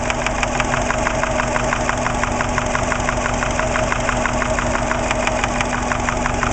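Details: Subaru Impreza EJ20 at idle, 30 psi oil pressure: sharp ticking knock about three per second, loudest at top of passenger-side head above cylinder one; intermittent, appeared right after startup, no metal in drained oil; cause unknown.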